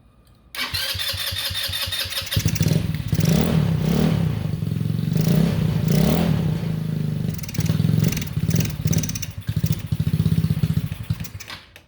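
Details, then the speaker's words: Honda Ruckus that died while riding and won't restart, spark confirmed, started on a spritz of carb cleaner: it catches, runs ragged and surging for seconds, then stumbles and dies. Suspected clogged carburetor float needle or failed fuel pump. "And you can tell as soon as it ran out of that little spritz of carb cleaner, it died."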